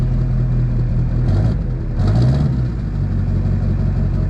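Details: Duramax diesel (2001-2016 range) after installing Dynovox stainless up-pipes replacing the OEM pipes. It settles into an even idle with a couple of brief revs, steady clatter, and no exhaust puffing or ticking. Normal idle.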